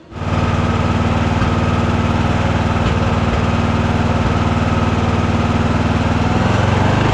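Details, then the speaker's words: Craftsman DLT3000 lawn tractor engine, after coil, fuel filter and carb work: steady but uneven, lumpy, slightly hunting beat. It still runs poorly, fine at full throttle but the idle is really bad. The owner plans a valve adjustment. "Well, I still don't like the way it's running. Uh, I think I'm going to do a valve adjustment on it and see if that makes any improvement."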